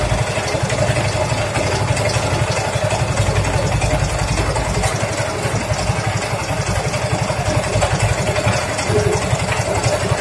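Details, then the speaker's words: Yamaha Mio M3 125 scooter at idle: dull, rapid clatter about four knocks a second deep in the engine, unchanged with CVT removed; mechanic diagnoses connecting rod and its bearing, plus pitted piston. Connecting rod big-end knock. "Jadi fix masalahnya ada di dalam mesin Di tengah ini suaranya pasti kalau analisa saya di stang seher dan lahernya yang kena"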